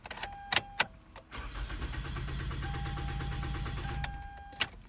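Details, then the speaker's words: 2007 Toyota Camry that died while driving: starter turns the engine over at an even steady rate for nearly three seconds but it never fires — crank no start from a failed fuel pump, later replaced. "so that's what it sounds like it'll turn over but it won't actually fire"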